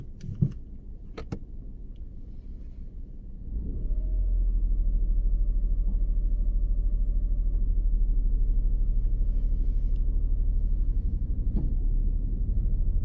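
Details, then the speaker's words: Learner car moving off on a driving lesson with the handbrake not fully released: engine note rises at the bite point into a low, shuddering judder about three times a second as the car pulls against the handbrake. "Right, can you hear that noise? Yeah, that little I've got judder. that for you. Oh, All right, cheers. that's just the handbrake. You didn't release it fully, okay?"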